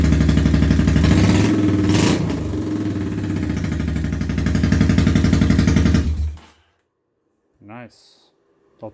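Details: 1983 Honda Shadow VT750C V-twin, first start after engine rebuild with replaced front cylinder, smoothed ring grooves and new gasket kit: even, loping beat at about four pulses a second, steady and smooth; normal running.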